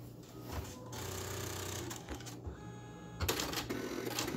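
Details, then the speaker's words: Refurbished ALPS MD-1500 printer at power-on right after installing black, cyan, yellow and magenta ribbon cartridges with slack taken up: irregular whirring and clicking bursts; unsure if normal, something later goes wrong with the test page. "not sure if that sounds normal or not."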